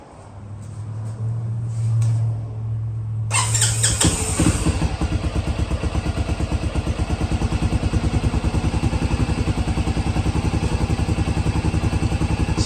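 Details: 2015 Can-Am DS250 quad after carburetor cleaning, which previously ran rough and would not idle; after a crank and catch it settles into a quick, even single-cylinder putter that holds steady: normal idle after repair.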